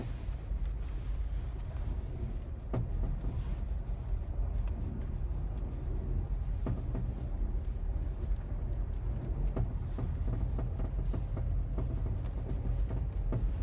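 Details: Mazda 3 (BM) while driving: irregular sharp single knocks from underneath every second or two over road rumble, only in cold weather, present since purchase; owner suspects the crankcase guard fitted by an official Mazda dealer, unconfirmed.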